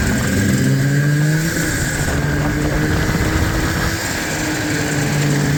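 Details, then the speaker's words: Old Yamaha ET snowmobile two-stroke on the trail in snow: uneven lumpy running, stumbling irregularly; estimated running on maybe one and a half cylinders, pretty bad motor (suspected misfire). "The old ET is kind of running on like maybe one and a half. Pretty bad motor, but hey, she's still running."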